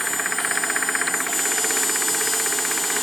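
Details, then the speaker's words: Homemade jet-engine motorcycle: fast, even ticking about four a second from the running cooling pump over a steady jet hiss; the cooling is insufficient, with the heat exchanger outside cool and the central pipe very hot. "Вот слышно, сейчас работает охлаждающий насос. Слышите, цокает."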